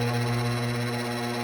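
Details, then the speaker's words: DeLonghi Magnifica EVO grind-and-brew coffee machine, a couple of years old, at power-on: loud, steady, strained motor drone that never changes pitch as the drive labours; brew unit (diffuser) jammed after whole beans were poured into the ground-coffee chute. "Now, I guess they call it a diffuser is jammed, and it makes all kinds of noise when you start it up."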